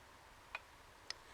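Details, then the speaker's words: Royal Enfield 500 Machismo electric start, primary cover off, crank turned slowly by spanner: crisp clicks about every half second, just before inlet cam full lift; seems to come from elsewhere. "that sounds for all the world like it's coming from around here somewhere but in actual fact I've checked and what it is whether I'll be able to demonstrate this successfully or not I don't know but at that point of rotation just before the click the Inlet cam is at full lift"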